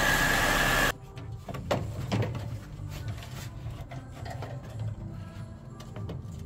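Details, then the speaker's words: Mercedes-Benz B-Class W245 after replacing the pulley bearings and serpentine belt: after a loud opening burst, a quiet steady idle with only odd light clicks; the previous squeak is gone. "I manage to put on the Belt now you can see it doing the job the squeaking noise is gone and uh I think the problem is fixed"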